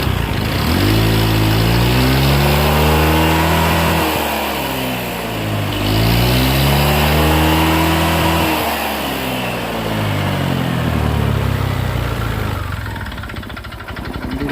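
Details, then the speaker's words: Honda Click scooter revved up and down twice: a hard regular knock from inside the engine at every speed, unchanged after another shop replaced the crankshaft; the engine also smokes, more when hot. Source of the knock not yet found. "Kasi nagpalit ng sigunyal, ganun pa rin yung ingay. Ang lakas pa rin ng lagutok sa makina sa loob."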